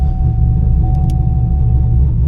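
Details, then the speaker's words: Camaro V8, hot restart after a drive, following misfire and hot-start repairs where a ground wire was the fix: deep, steady rumble with no stumble or slow crank; normal hot start. "hopefully it hot starts normally but we will see now if it starts to slow crank on me I'm just not even going to crank it but yeah oh oh fired up that time"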